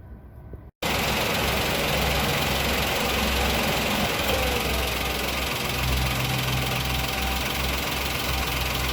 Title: axia 2023 compressor stops very loud noise in the car .